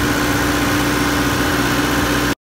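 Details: Diesel generator idles with a steady, even low drone and no knocks or misses, then cuts off cleanly; healthy after a transfer panel (QTA) management fault that had blocked starting while the engine itself was fine.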